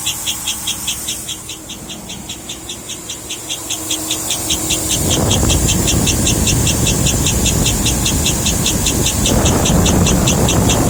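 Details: 2007 Cadillac Escalade at idle: sharp even chirps about two and a half per second, quickening as the engine revs, still present with all belts removed; source unidentified.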